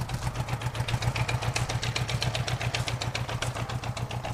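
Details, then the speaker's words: 1978 Honda GoldWing GL1000 flat-four, first start in years after long storage, idling on its own with a steady beat near 220 pulses per minute but slightly uneven; carbs are going to need cleaning. "headlights on it's running it's idling on its own for the first time in years it's actually pretty easy to get it started i mean it just took a little bit i guess for it to get some good gas down in there"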